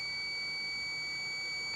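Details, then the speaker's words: Mercedes 508D/613D fan thermostat switch bench-tested in boiled water then cooling: unbroken high multimeter continuity tone as the switch closes; owner suspects it is a bit slow but thinks it works; closing normally. "You can hear the ohm meter is making that beep noise. So now it's working."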